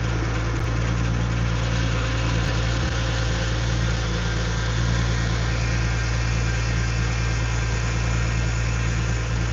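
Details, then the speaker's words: Infiniti G35 drift car with VQ V6 engine at idle: even low drone with a faint constant whine on top. Owner says low power steering fluid was making the noise and fluid still needs adding: power steering pump whine. "That is power steering fluid that was making that noise."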